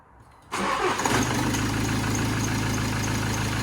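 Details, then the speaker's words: Land Rover Discovery Sport HSE diesel starting after a new turbo fitted to cure a rubbing turbo: catches at once and settles into a steady, even idle clatter, with only a slight belt squeak and no turbo whistle or rubbing; normal. "still got a little squeak on the belt yeah so that's normal completely normal turbo sound now so obviously it was that rubbing on that casing"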